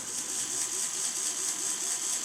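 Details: Small fischertechnik robot-arm motor on diagnostics test at speed 3: steady high-pitched whir with strong even tone, not easily slowed by a finger, unlike its weak counterpart; runs healthily.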